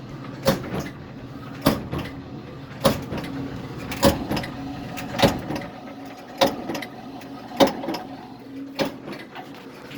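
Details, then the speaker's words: Bosch Nexxt 800 Series dryer tumbling: a heavy thump about every 1.2 seconds as the drum turns, caused by a drum broken at the rim; wheels, bearing and band fine; fixed by replacing the drum with a used one. "okay we got one hell of a thump going on in our bosch next 800 series dryer"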